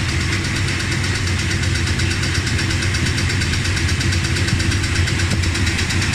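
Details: Dodge Ramcharger V8 idling after replacing pushrods, rockers and rocker shaft (oiled before start): smooth, even rumble with no sharp ticking on top; the tick is gone, valvetrain quiet and healthy.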